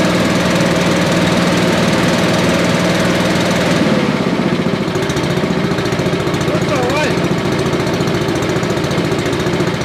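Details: Billy Goat leaf blower, Briggs & Stratton 9.5 hp single found headed to scrap, sooty plug, low compression, slightly choked: fast, rough-edged but steady putter with no misses, running fine.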